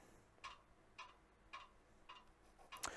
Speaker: Oh, I don't know if you can hear that rattling, but I've just realised what it is. It is the push stick on the side of the bandsaw that's being blown by the fan.